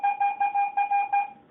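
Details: Garrett AT-Pro metal detector air test with a 1941 silver Mercury dime at about 4 inches, reading ID 82. Five crisp high beeps of steady pitch over a quiet background give a clean, repeatable, normal target signal.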